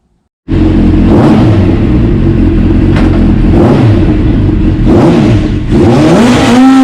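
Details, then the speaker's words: 1996 Suzuki GSX-R750 four-cylinder, dropped and not run for about a year, after the petcock was cleaned out; strong crisp revs climb and hold with clean pickup, plus tyre scrub during a burnout. Normal revving, pulls freely. "all right so we got the petcock all cleaned out got it back in put back together everything's working good the bike's running nice"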